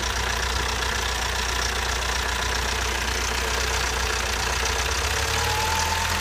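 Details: Toyota 22RE engine idling just after a timing chain replacement, now sounding like a tractor: a fast, loose clatter rides over a steady but rough idle, likely top-end valve train noise, cause unclear.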